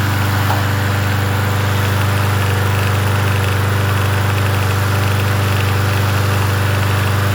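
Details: Yard Machines 21-inch push mower, 163cc engine, in cool 50s weather: smooth constant speed with an even single-cylinder beat, no surging or sputter; runs as it should.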